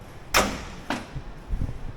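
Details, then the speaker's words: 1977 Ford Highboy truck with transplanted 460 Ford engine, retried with battery charger after tightening bolts; sharp starter clacks then dull groan, no cranking; starter binding on flywheel ring gear. "it's not happy hmm I think the starters granted well it's next day all we heard was clicky click click she's already locked up"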